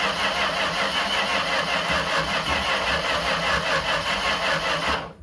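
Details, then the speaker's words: 1975 Dodge M880 truck being revived: engine runs with loose, uneven beat about five seconds then dies; fuel filter fills then empties with air bubbles, suspected air leak in the fuel supply causing stalling. "You're sucking air somewhere. Yeah, because it'll like fill the filter and then it'll go away."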